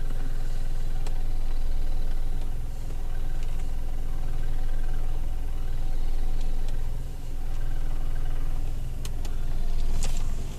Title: Rav4 08 knocking / rattling noise